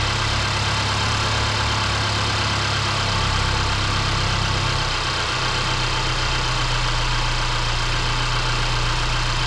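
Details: 2018 Mercedes C300 that lost fuel mileage, just after its 50k-service spark plug replacement: even, steady idle hum with no stumble, miss or knock; normal idle.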